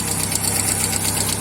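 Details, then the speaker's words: VW Fox 1.0 at idle, still fully assembled: a light, even tapping from the top of the engine, about eight taps a second, heard as hydraulic lifter knock. "Seu carro está com esse barulho aí também barulho de tucho batendo já trocou e não resolveu"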